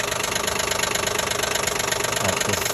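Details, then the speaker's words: 2012 Nissan Maxima 3.5 L engine at steady idle: fast light ticking, roughly three or four per second, located at the intake rather than the bottom; the intake bracket was missing a piece. "just basically just right somewhere around here like intake intake the spret"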